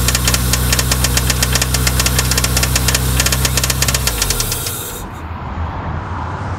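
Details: Toyota 4A-GE engine running with a regular knock at about 4 per second that stops when the engine shuts off. The source is suspected somewhere around the point being examined and is not confirmed.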